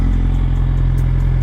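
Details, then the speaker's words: Suzuki GSX-R 600 sport bike after valve adjustment, idling evenly with a faint, quick light ticking over the exhaust beat; clicking only at idle and off throttle, owner suspects a vacuum system issue rather than valve train. "Okay, so basically it's not it's only doing the clicking"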